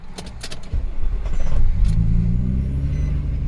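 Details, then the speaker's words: 2007 Nissan Murano 3.5L (possibly a 2006) with a random crank-no-start; customer suspects the fuel pump, and there are CAN/U1000 and many other codes. After a few clicks it catches into an uneven, lumpy low rumble and is smoking: a rough start, cause unconfirmed. "so now it started didn't sound too good let's see quicker race there we go so it starts now"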